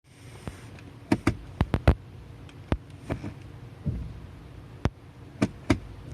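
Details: Transmission noise in reverse only: several sharp, irregular clunks over a quiet background when shifting into R, a shock as reverse engages.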